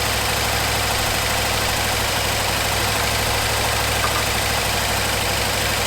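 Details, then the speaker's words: 1974 Ford F100 4x4, long parked, restarted after fuel pump wiring rigged up: steady low idle with even beat, no knocks or misses; runs clean. "We'll go ahead and give this another whirl at starting and maybe we'll stay running. Sounds pretty good."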